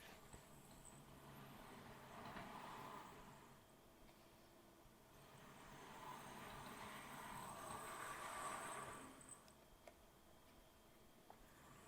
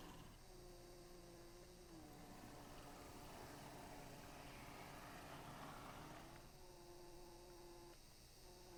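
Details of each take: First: Accurascale Class 60 model locomotive, squeaking out of the box, after a first oiling and run back and forth: high chirping squeaks over a soft motor hum, swelling and fading; dry drivetrain still squeaking, only slightly quieter, possibly from multiple points. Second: Accurascale Class 60 model locomotive, final demonstration after the fix: faint steady motor whir at even pitch, no squeak or chatter; the out-of-box squeak is solved and it runs in complete silence.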